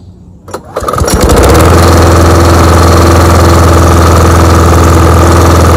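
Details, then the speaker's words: John Deere JS20 variable-speed self-propelled walk-behind mower, engine in good shape. Fires after a brief crank and settles into a steady, even hum with no misses or knocks; healthy. "so yeah I guess what I'll do now is just start it up for you guys let you guys hear what it sounds like"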